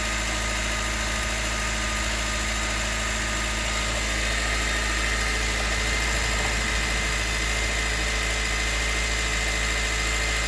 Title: CR-V Hybrid 2019 - knocking sounds on cold start